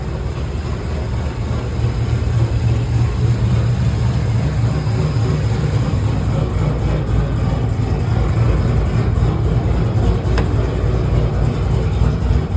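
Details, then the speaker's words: 2009 GMC Sierra with a Cadillac engine swap, after an upgraded camshaft, lifters and top-end build replaced a failed lifter and cam that caused a cylinder-three misfire: deep, choppy, loping idle, uneven rumble, no ticking or knock; normal lumpy performance-cam idle. "I love it. Very choppy sounding. I'm going to show you guys what it sounds like."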